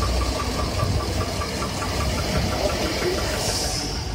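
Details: 2007 Chevy Avalanche V8 at cold idle: light, quick, regular knock under a low rumble, more muffled after decarbonization and fading as it warms; piston slap or carbon suspected, dealer hasn't found the cause.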